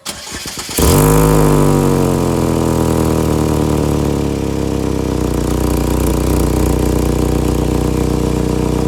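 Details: 2012 Chevy Equinox starting and idling with a loud, raspy, fast-pulsing rumble from a cracked exhaust pipe behind the passenger door area, before a temporary fix.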